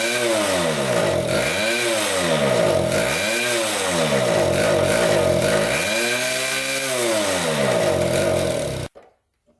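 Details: 1974 Honda Elsinore 50cc two-stroke, first start on a new spark plug, fuel pouring out: revs swell and sag every couple of seconds instead of holding steady, then it cuts out. Rough running with surging revs.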